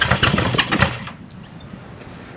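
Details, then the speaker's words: 1974 Honda CB550 during restoration, first start on brake cleaner sprayed into the carburetors: quick, even firing for about a second, then dies as the cleaner burns off; engine sounds like it truly runs. "think that's nice that sounded good that was actually running"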